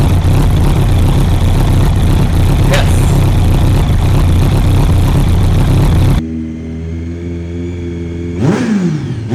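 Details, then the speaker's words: Kawasaki ZX-12R, about 2,000 miles, first start after years of sitting in roughly 3° cold on a booster pack after reconnecting a cable. The fuel pump is heard, then about six seconds of rough churning settles to an uneven hum with a rising sweep. "let's see oh I can hear the pump going okay it's happening everybody stay calmal come on baby a procedure car come on"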